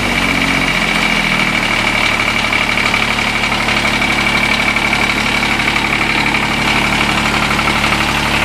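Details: Kubota D722 diesel on TG1860 riding tractor, idle over a year, old fuel, dead alternator: steady, even diesel clatter with faint constant high whine; smooth, no misses; healthy idle after cold start.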